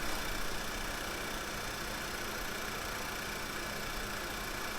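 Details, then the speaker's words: 2009 VW Tiguan 2.0 turbo idling after the codes were cleared: an uneven, stumbling beat under a loud hiss, a dead misfire on cylinder 1. "And a bit hard to say, but no, I think we have it still. Yes, we have a dead misfire."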